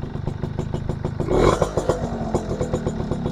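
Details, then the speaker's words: Suzuki RC100 two-stroke motorcycle on stand, throttle blipped: crisp exhaust pulses rising and dropping cleanly, no misfire or stumble, engine still sounds good; normal two-stroke revving. "guys suara knalpot masih renyah ini knalpot garing ini guys"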